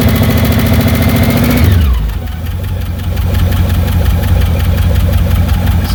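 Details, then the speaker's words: 1982 MSE (Mecham Racing Edition) Pontiac Trans Am, Pontiac V8-swapped, just out of years of storage, fired up after washing: settles from fast start to idle with steady knock about three per second; owner suspects valve train, unconfirmed. "like it has a valve train knock. So, I might need to pop the valve covers eventually, but I don't really care about this motor."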